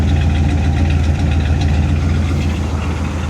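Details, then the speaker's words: 1979 Cadillac DeVille after a carburetor swap: deep, even V8 idle with a steady rumble and no stumble. Before, it would not idle and died every time. The choke is opening even without the electric choke. "She's running great as expected. I I I wouldn't expect anything less from this car. She sounds good."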